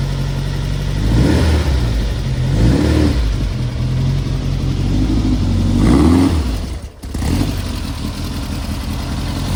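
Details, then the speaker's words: Brubaker Box newly installed engine, after first start, all gears selectable: catches and revs up and down cleanly in smooth swells, no knocks or misses; engine sounds healthy. Normal running and revving. "but that is nice progress lead the brakes I guess is next but that engine sounds healthy digging it"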